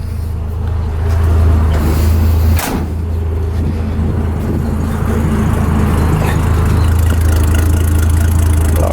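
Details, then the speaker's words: 1971 Ford truck, inline-six with a new distributor and electronic ignition, idling cold with the temperature gauge ice-cold: a deep, steady rumble with an even beat and no misses, knocks or ticks. Normal cold idle. "but you hear this this idles just like that goods that kill a little inline-6 sound"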